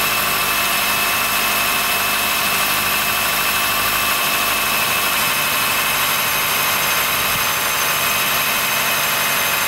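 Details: 2013 Honda Fit 3 Hybrid L Package (DAA-GP5) below about 10°C: steady high, thin squeal with faint creaking while running. It disappears once warmed up after driving; the dealer found no warnings and judged it harmless, source unconfirmed.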